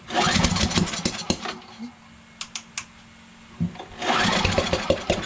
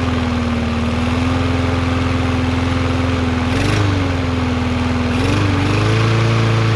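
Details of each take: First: Briggs 550EX auto-choke push mower, with spark confirmed and brake cleaner in intake on choke; fast pull-cord cranking, about four chuffs a second, not catching: cranks but won't start, owner suspects timing off, possibly sheared keyway or valves. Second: Yard Machines MTD 21" mower, Briggs 550EX, after bending the governor bar to raise rpm: steady, even drone with small momentary dips as the governor catches, about the right rpm. Normal running speed.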